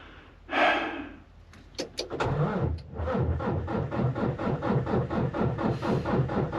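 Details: Volvo semi truck after an oil change, battery around 12 V and jumper used: starter turns the diesel at about three even compressions a second but it never fires; crank no start, owner suspects a blocked diesel line.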